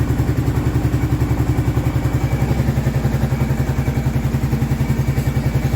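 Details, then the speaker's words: 2002 or 2003 Kawasaki Prairie 650 ATV after rebuild, warming up from cold start: even, steady idle thump about 3.5 beats per second, without the rattling, clicking heard after reassembly; engine sounds healthy. "Hopefully I don't hear that rattling, clicking sound that I was hearing before from when I put it back together."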